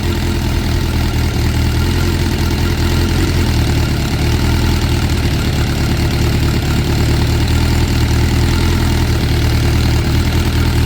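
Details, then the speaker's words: 2006 Suzuki GSX600F Katana after carb cleaning, sync and float set to 18 mm, mixture screws guessed: smooth even four-cylinder idle about 1,200 rpm ±50 per manual, no misses; normal idle. "so I fired the bike up and you can see it idles perfectly at about uh 12200 plus- 50 as the only onus manual describes"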